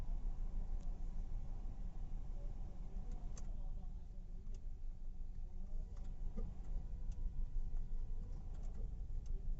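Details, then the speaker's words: Hyundai Aura CNG with check engine light blinking, no fault codes on scan: uneven, lumpy idle that swells and sags; misfire traced to cylinder 4 not firing, its spark plug completely black. "Hello friends गाड़ी है कम ज्यादा कम ज्यादा हो रहा"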